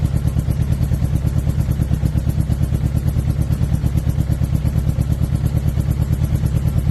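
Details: 2006 Suzuki GSX-R600: loud clattery running with a choppy pulse about three times a second breaking the rhythm; misfire or dead cylinder suspected, not confirmed.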